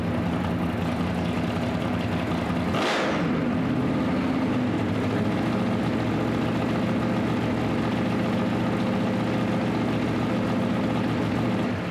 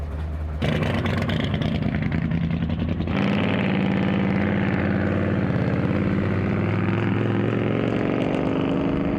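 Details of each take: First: Drag Week 2024 V8: a lumpy big-cam idle settles into a steadier, smoother beat. Cylinder exhaust temps are still uneven (8 reading 670, still cold), and the throttle is hanging open and likely needs more return spring. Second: Drag Week 2024 V8 in street mode fires up and then falls into a lumpy, stumbling idle with a dead cylinder, popping out the exhaust and running hot.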